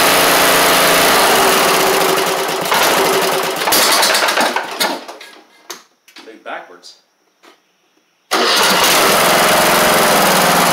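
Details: MTD Craftsman LT1500 riding mower with a swapped-in new engine, after bending the governor: steady small single-cylinder running dips for a few seconds, then recovers even and smooth at a settled speed; normal running.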